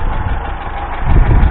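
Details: 1989-90 Ford Fiesta Ghia, stood unused since 2014, now running: steady, even low tick-over with no knocks or misses; idling smoothly and sounding healthy.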